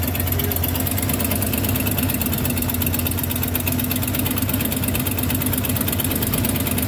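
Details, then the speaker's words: 1993 Ford F250 302 (5.0L) V8 after replacing a cut-up vacuum harness and the throttle mix screw, EGR lines capped: steady idle with an even, settled rumble and no stumble or hunting over several seconds. Normal idle. "Running pretty good."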